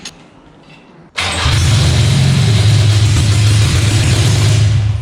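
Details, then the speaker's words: Toyota 18RG engine swapped into a Celica, first start on carburetors with headers and jumper leads: sudden loud fast uneven roar while the starter is engaged; runs only on the starter and dies when released. "That's on the starter. Oh, that was just on the starter. When I take the starter off, It just dies."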